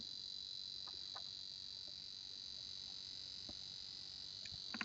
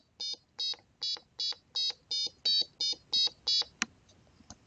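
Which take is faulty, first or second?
first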